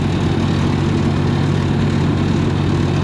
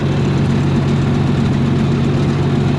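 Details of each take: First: 292 Chevy inline six gasoline engine on a 703 UniSystem power unit with straight pipe, no muffler: loud, constant deep idle drone; owner thinks timing is set a little off, leaving fuel burning as exhaust valve opens, making it louder. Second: 292 Chevy inline six gasoline engine on a 703 UniSystem power unit, after correcting badly wrong ignition timing (was firing out the intake) and adding fresh gas: steady low rumble, even beat about four a second, no misses or knocks; idles smoothly.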